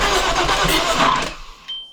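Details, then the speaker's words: Audi B5 S4 first start attempt after a timing job and reassembly: rough cranking catches, then a sharp backfire pop as it dies, with good compression. Ignition timing off, possibly from the coil pack modules being plugged in wrong. "timing's off [ __ ] that's what that backfire that was now what but it definitely sounds like it has compression"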